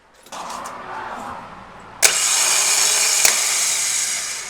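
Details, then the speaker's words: Starter motor on a rebuilt Nissan RB25 in a C34 Stagea, bench-tested hanging loose with its wire fed straight from battery positive: a steady, clean high whir with no grinding or clicking; the starter works properly. "Now if I turn the key, we actually get something that sounds like a starter motor."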